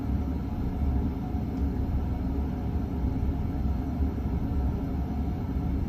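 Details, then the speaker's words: 48" Emerson friction-drive ceiling fan, possibly late 1970s-early 1980s, once seized, missing its variable speed switch, with its rubber drive band held by electrical tape: a steady low droning rumble running slow. Noisy, and it vibrates the ceiling. "this thing uh vibrates my whole ceiling because of the way i uh fixed it with electrical tape to get the rubber band to stay on the uh thing that makes the wheel spin around"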